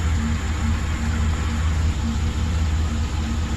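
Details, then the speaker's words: 2008 Express V8 at idle after reassembly, with an intermittent misfire now constant: a low, lumpy idle with an uneven stumble about every half second from one cylinder. Bank 1 goes lean and bank 2 rich on throttle. The engine had two cracked heads and coolant-filled exhaust. It was later found to have an injector flowing 2.2 psi less and faulty O2 sensors, one dead. "Right now I'm idling, and it's idling like shit."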